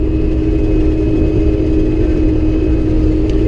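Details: Combine harvesting oats on the first day at about four mph: a steady, even mid-pitched drone with no knocks or surges. Normal harvesting operation.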